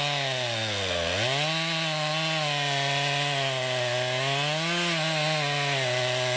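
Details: 2020 Stihl MS261, non-M-Tronic carbureted, 20-inch bar, cutting a poplar log about 1.5 ft across, straight down then a plunge cut: steady high buzz dips as the chain bites and recovers smoothly; normal, healthy saw under load.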